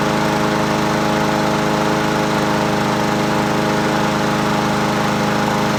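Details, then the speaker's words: Husqvarna 7021P 21-inch push mower, Honda GCV160 engine, unused two years, revived after cleaning the spark plug, on its original OEM carburetor (a clamp still missing): even, steady running with no surging, misfire or knock; sounds good. "She sounds good. It's original OEM carburetor, baby."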